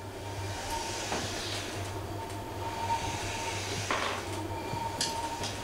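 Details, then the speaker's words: Permobil F3 power wheelchair after cleaning the motor brush housings, driving on carpet to warm it up: low, even motor hum with only occasional chair bumps and no clicking from the left side; the drive motor now runs normally. "all right let's do some maneuvering on the carpet here and uh see if we can get this thing heated up a little bit not getting any clicking sounds though from the left side like i was"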